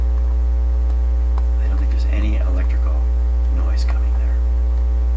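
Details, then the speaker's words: Dominion Electrohome TR50 console with BSR 610 record changer, new cartridge fitted: constant low buzzy mains hum on the dead channel with nothing else; open circuit in the tonearm wiring, wire no longer soldered in. "the one with the hump the hum is also indicative of an open circuit in this"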